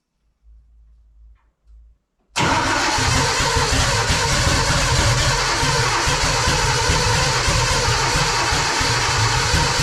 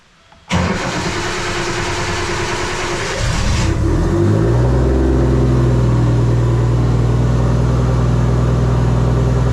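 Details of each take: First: Car at first start-up: weak cranking bursts then loud lumpy uneven running; ignition trigger offset set 360 degrees out, it ran fine on crank sensor only, fault later corrected. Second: it sounds good sounds really good I had hoped it was a little bit more throaty in the sound a little bit more chubby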